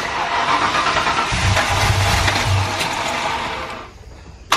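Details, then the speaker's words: First start of a boosted V8 GTO after a fuel-pressure check at 58.5 psi, base timing not yet set: the engine catches, stumbles and surges unevenly, running a little rich, kept alive on the throttle; rough running from incorrect base timing. "it sounds different back there right now it's running a little rich but i got my foot on the gas because i'm keeping it running right now"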